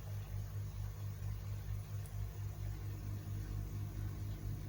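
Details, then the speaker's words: Koi pond air source heat pump switched into silent mode at much lower output, with the fan still running: a low, soft hum with a gentle pulse about twice a second and nothing harsh; quiet normal running. "You can hear, I mean, it's still going, the fan's still going, so it puts it into a lot lower output, but there is no noise whatsoever. There's nothing."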